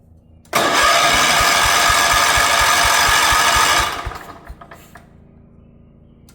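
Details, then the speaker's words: 1977 Wheel Horse B-100 single-cylinder tractor, good spark after a fuel problem: starter cranking with throttle and starting fluid, no start, backfiring through the carburetor. Owner suspects it may be out of time. "All it wants to do is backfire through the carburetor. Doesn't actually want to start, which leads me to believe that it's potentially out of time."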